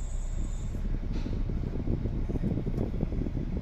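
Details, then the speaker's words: Hyundai i10 after a fix for rpm fluctuating low and high, idling with the AC on and the fan on setting 2. A low, even idle rumble holds steady under the AC load with no hunting or stumbling. "अब मैं आपको AC भी on करके दिखाता हूँ कितना जो है डाउन जाता है, क्या होता है। फैन को कर लेंगे 2 नंबर पे और एसी हमने ऑन कर लिया।"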